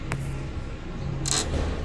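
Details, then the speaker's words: 2003 Honda Element, passenger side: two brief high creaks over a low hum as the corner is lifted and dropped, the strut top mount's center part moving up and down; squeak also heard over bumps. "I actually found the issue let me see it's it's the top of the strut let me lift it and then you hear it"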